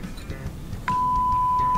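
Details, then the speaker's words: Coral BX-1500 6-way speaker, mid-range driver tested after disassembly: steady, clean mid-pitched test tone with no buzz or rattle; the driver is good. "That one's good. Well, that's a good sign."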